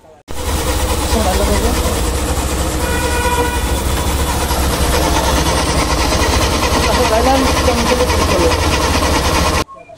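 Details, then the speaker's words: Hero Thriller motorcycle, engine idling: dry, rapid chattering clatter over the engine beat, caused by a totally worn timing chain guide; the mechanic's advice for this sound is to check the timing chain guide. "এইটার প্রবলেমটা হচ্ছে যে এটার যে গাডার থাকে গাডারটা সম্পূর্ণ নষ্ট হয়ে গেছে। টাইমিং টেনে যে গাডার থাকে গাডার টোটালি নষ্ট হয়ে গেছে। যার ফলে এই ধরনের সাউন্ড আসতেছে।"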